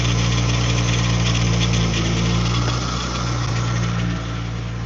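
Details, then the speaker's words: Infiniti G35 drift car with VQ V6 engine at idle: steady deep even hum with a faint whirr over it. Owner says the power steering is low on fluid and that was making the noise, so fluid is to be added: pump noise from low fluid. "You heard that, Martin? That is power steering fluid that was making that noise."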